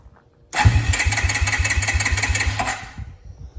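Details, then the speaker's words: 2002 Suzuki King Quad 300 4x4, cold, choke on, some throttle: long stretch of steady cranking about three beats a second, then a brief stumble without firing; hard cold start. "It might not start cold. Give it some throttle. Almost there."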